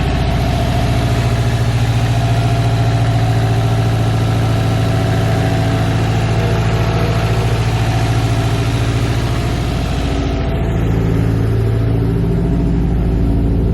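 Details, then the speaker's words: Subaru STI engine after a refresh and repaint, first runs, not yet fully warmed up, coolant not yet bled: steady, even low idle rumble with no misses or knocks, running and idling cleanly; clip ended early over the upper radiator hose. "foreign like you guys just saw it's running and idling"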